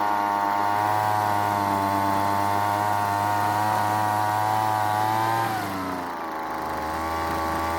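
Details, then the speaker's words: Weed Eater leaf blower after long storage, L screw out half turn and H screw quarter turn: steady buzz but pitch sags instead of climbing when throttled; throttle barely responding, needs more fuel from H screw, lean high-speed mixture. "that meant the engine wasn't getting enough fuel i then turned both screws counterclockwise to give the engine more fuel this time it stayed running but the throttle wasn't responding much which meant it needed more fuel from the h screw"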